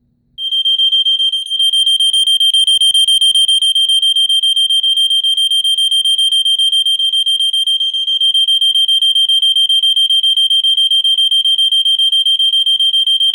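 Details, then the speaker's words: Gentex 7100F photoelectric smoke detector, brand new, test knob set to Test 1: loud, piercing high beep pulsing steadily three or four times a second; alarm sounds properly on test. "But on test 1, it is supposed to sound, because that's testing the alarm, that's testing for false alarms."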